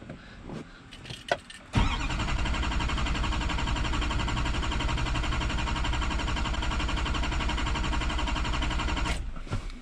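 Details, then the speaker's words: Duramax LB7 Silverado 3500HD diesel cranking after being shut off: starter churns steadily about four beats a second for seven seconds, never catches; no fuel pressure, primer on filter head soft. Fuel system loses prime when parked; crank, no start. "Okay, so as expected, no more fuel pressure available."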